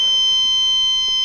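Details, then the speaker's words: MissileWorks RRC3 dual-deployment rocket altimeter switched on with battery connected: steady loud high-pitched beep while the LED lights and it runs its startup ground-testing mode; normal power-on beep. "and one of the nice features about this altimeter is not only does it have the Beeper to let you know that it's working but it also has an LED so you get a Visual and an auditory signal that everything is working"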